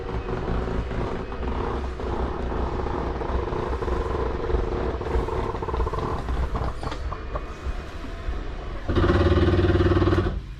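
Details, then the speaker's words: Jayco Jay Feather 24BH travel trailer slide-out retracting: a loud steady buzzing drone for about a second at full travel, which is the normal end-of-travel protection and is heard going out too. "don't panic when you hear that it's okay to hold for a couple seconds that's just how the slide keeps itself from uh coming in too far or out too far"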